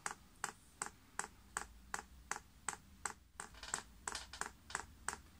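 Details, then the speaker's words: Chinese diesel heater dosing pump in prime mode on paraffin, crisp evenly spaced clicks at nearly three per second as fuel is drawn up the line: normal fuel pump priming clicks. "you then press the up Arrow and you can hear that pump's clicking and is in fact now priming"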